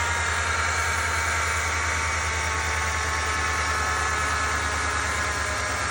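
A thin, steady whine sits over a smooth idling engine without wavering; the exact source can't be pinned down by ear alone. Cause suspected, not confirmed.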